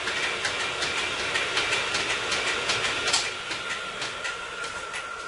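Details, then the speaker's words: Sibley drill press flat belt shifted one step slower: light regular ticking near 160 a minute as the belt lacing rolls over the pulleys, faint steady whine; drive runs smoothly. "All right, now we'll turn it on and you'll see even a little slower."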